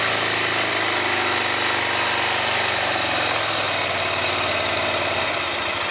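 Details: 2005 Honda Rincon ATV with 300 miles, under throttle: a harsh, gritty grinding rasp over the single-cylinder engine's steady beat; cause not confirmed.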